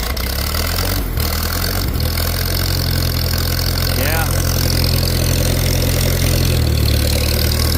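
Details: Old tractor at a pre-auction preview: low, steady idle with an even, unhurried beat, no misses or knocks; running fine.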